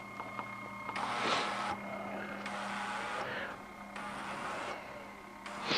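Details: iSonic PRO ultrasonic record cleaner, upgraded after the original motor died, running its degas cycle with records spinning at 10 RPM: steady hum under a hiss switching on and off about every 1.5 seconds, normal healthy degas pulsing.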